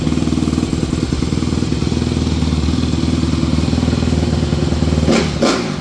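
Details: 2014 Honda CRF250R after rebuild and reassembly: crisp, even single-cylinder idle with steady firing, no knocking or clatter, then a few quick blips; engine sounds healthy and much better.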